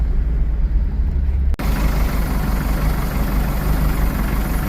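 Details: 1982 Porsche 924 Turbo after rebuild, test drive: uneven, loping idle with an irregular low pulse, spark plug number three lead was unplugged so it ran on three cylinders; also timing belt tensioner noise and squeaking blower fan.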